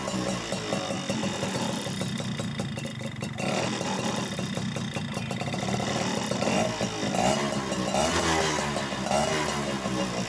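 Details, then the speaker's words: Yamaha F1ZR/Sigma two-stroke running after fixing two-stroke oil leaking into the engine oil, two-stroke oil pump test: steady buzz at idle with small throttle rises, no misfire or rattle. Running fine. "Oke, ini jalan ya kawan. Nah. Oke, sudah bagus ya."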